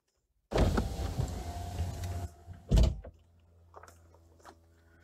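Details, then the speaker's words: BMW 1 Series E88 convertible after roof fabric replacement, during a function check. Windows lower and the roof rises; the motor whirs and groans fairly loudly on the delicate stage, then a firm thunk as the lid closes. Roof and windows now operate normally. "on peut voir les vitres se baissent bien la capote remonte parfaitement jusque-là ça fonctionnait comme avant là on entend le passage le plus délicat où ça grogne relativement fort la capote elle part bien vers son bac et le couvercle vient finir la fermeture"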